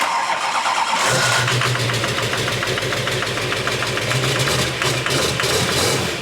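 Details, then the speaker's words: 6.6L Duramax diesel in a Jeep Wrangler swap, restarted right after its first start on a stripped harness: it catches after a brief crank, then settles into an uneven, lumpy idle. Rough running; the cause is not confirmed. "That was a lot of fun. Why does it sound so bad now? It's not wanting to run. I haven't done anything."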